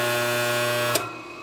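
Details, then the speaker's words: Homemade 80-gallon shop compressor built from old parts, first rotation test run with belts off. A steady buzzing hum with a hard vibrating edge until the motor cuts off; a loose lid rattling against the motor, to be fixed with rubber bushings or by fixing the lid. "brother that's what it is I guess I either got to mount this on rubber bushings or the lid itself we can fix that"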